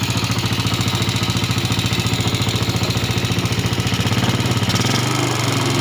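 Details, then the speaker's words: Yamaha Jupiter (Robot/Salib), rebuilt two months earlier with an aftermarket block, before repair: coarse rattly pulse on every beat that worsens when hot, with light smoke. A loose aftermarket connecting rod with play is found. "Nah itu suaranya sangat lumayan kasar Ketika nanti mesin panas juga makin kasar atau motor juga ngebul tipis"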